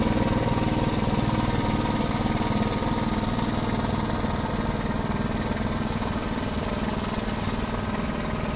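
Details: 1973 Gravely C8, donor single-cylinder engine after a swap and ignition timing, with the plow attached and the air cleaner refitted; earlier backfiring has cleared. Even, regular thump at a steady speed with no pops or backfires: running clean and healthy.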